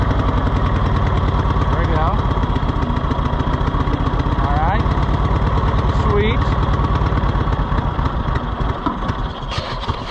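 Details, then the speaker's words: Cushman Truckster auction find, trying to drive it in first gear with the throttle worked by hand: uneven thumping about three beats a second that sags and loses strength. The engine falls on its face, bogging under throttle after having run well earlier. "okay come on falls on its face I can run the throttle from here a now you ran so good on the thing"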